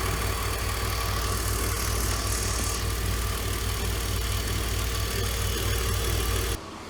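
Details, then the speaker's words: E46 330i M54B30, cold engine at idle, noise arising within the last thousand km: light, uneven rattle over a steady low thrum. Later traced to a rattling DISA valve and a worn water pump. "today we're going to chase a sound that has arisen within the last thousand kilometers or so only is when the engine is cold but only at idle as well"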